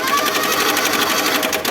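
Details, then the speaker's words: Mitsubishi T120SS engine with a fast, hard metallic clatter over a rough idle; with the valve cover off, the tensioner had failed and the timing belt jumped, leaving bent valves. "dengan kendala itu di bagian mesin suara kasar ya Coba kita dengarin suaranya ya"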